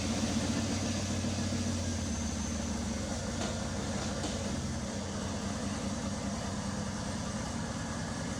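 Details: Land Cruiser after a full rebuild, fired up in the shop without an air filter yet: the engine catches and settles into an even, steady idle with no knocks or rattles over a low rumble. Normal idle.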